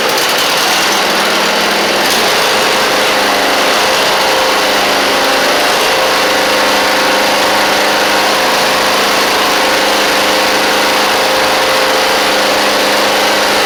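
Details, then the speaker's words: Huskee Supreme 50-inch riding mower with Briggs V-twin: uneven, lumpy, hollow idle with the engine running on only one cylinder; fuel reaches pump and carburetor, a carb issue is suspected, spark assumed fine if the plug is good. "all right so we're only running on one cylinder so so they got a carb issue"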